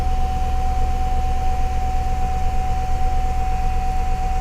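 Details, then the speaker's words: Neglected GM truck at an auction yard: a steady high whine over the idle rumble, which the inspector believes is the transmission pump rather than power steering. The transmission is slow to engage, many warning lights are on, and the tach is pegged over 6,000 rpm. Whine at idle. "And that power steering wine, I don't think that's a power steering one. I think that's a transmission pump wine. I do."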